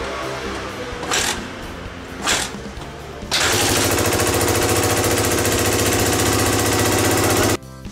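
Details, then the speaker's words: Suzuki DR250SH single-cylinder bike, about 30 years old, under restoration, started after one muffler hole was strapped with a band: still harsh, loud, raspy exhaust; a second large hole found in the rusted muffler, exhaust leak. "聞いていただいた通り、うるさいです、結構でかい穴がもう一つ開いていました。"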